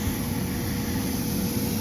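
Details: Carrier rooftop unit at a restaurant that wasn't reaching temperature, fired up after connections were tightened and blower amp draw checked: a steady, even roar with a low rumble and no knocking or whistling. The gas burner lit and is firing normally.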